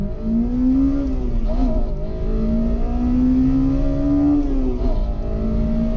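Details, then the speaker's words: Honda VTEC engine at high rpm: revs climb and the note abruptly turns harder and sharper as the center cam lobes take over (valves open sooner, close later); normal VTEC changeover onto the high cam. "But when you are in the right place and the right situation, you'll have a lot of fun driving when the VTEC kicks in. You'll know the difference when the VTEC is activated by the sudden change of the engine sounds like this."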